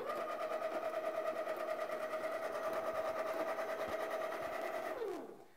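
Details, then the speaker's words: A Baratza Encore burr grinder gives a steady motor hum with no crunch of beans, then a smooth spin-down. It is clogged with packed coffee in the chute, so the beans just hop in the hopper and it sounds like it is running empty. "when the grinder is clogged the motor will run and the beans will hop around a little bit in the hopper but it's not going to do any grinding it even sounds rather normal just sounds like it's running empty of beans"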